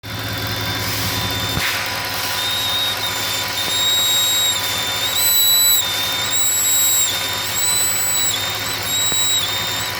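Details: 2008 Audi S8 5.2L FSI V10 petrol idling with a high, wavering whistle from a vacuum leak at a faulty throttle body gasket.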